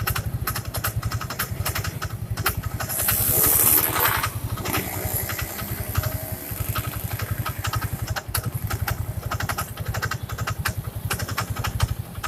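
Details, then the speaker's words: First-generation Yamaha Mio scooter idling: fine at first start, then after a few seconds an uneven scraping rub over the steady putter in the CVT area; noise vanishes with the cover off, traced to the kick-start shaft rubbing the crankshaft. "Pertama dihidupkan halo, tapi beberapa detik kemudian bunyinya kayak gini."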